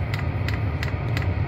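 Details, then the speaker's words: Vevor diesel air heater at power level 7: steady low combustion rumble with crisp fuel-pump tick about three times a second; burning evenly, normal running despite past fan-sensing shutdowns. "right now we seem to be burning pretty well we've got it up to power level seven and it's still running well"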